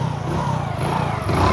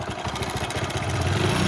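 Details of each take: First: Hero HF Deluxe single-cylinder motorcycle after fixing a noisy timing chain, tappets checked fine: short putter with a light rev and the earlier clicking gone; clean and even, normal running. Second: Hero HF Deluxe motorcycle idling with a busy, uneven metallic rattle of about four per second; tappets checked fine, and the timing chain is badly stretched and very loose despite a stronger tensioner spring.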